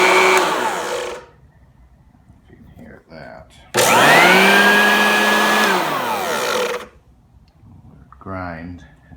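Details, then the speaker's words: Black & Decker LB700 electric leaf blower, new, failed within an hour of unboxing: short bursts of high motor whine with rough grating edge, pitch sagging, burnt electronics smell and smoke; motor grinding before failure. "that did not go well uh started using it grinding smoke came out all done and now sent it back"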